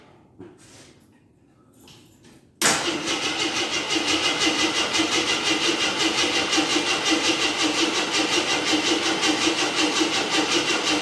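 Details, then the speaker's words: 1983 Jeep Scrambler barn find, sat 4–5 years, just filled with 5 gallons of gas: even starter churn of about two beats a second that never catches; fuel pump not delivering, then a hot smell, owner suspects the starter. "okay I just put 5 gallons of gas in it let see if it pumps on few now see what happens"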